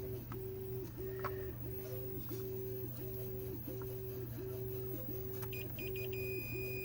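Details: Millipede arcade board with a graphics fault, pin-by-pin continuity checking between chips against the schematics. A steady high meter beep sounds over a repeating low tone: pin 14 to pin 14 on 7B has a good connection.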